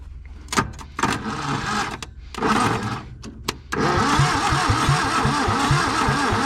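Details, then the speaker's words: 1962 Hillman Minx, parked 40 years, running on carb cleaner with intake off: cranking then stumbling start into lumpy uneven idle with irregular puffs; rough running, hits on carb cleaner but hates gasoline. "see that she'll hit right off that dadgum carb cleaner but boy it hates the gasoline"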